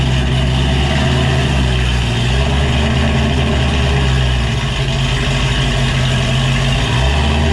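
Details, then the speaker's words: 2007 Ford Shelby GT500 with cam, being moved: loud deep rumbling idle with steady choppy cam lope, even and strong throughout; healthy cammed V8. "man that sound never gets old"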